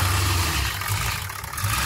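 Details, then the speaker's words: Ford E350 van with 7.3 Powerstroke diesel, long sitting, injector O-rings earlier replaced for oil in fuel: starts and settles into a steady, even idle with no misses or knocks; gauge then shows no oil pressure (sender suspected) and heavy smoke. "that sounds great that doesn't sound terrible at all"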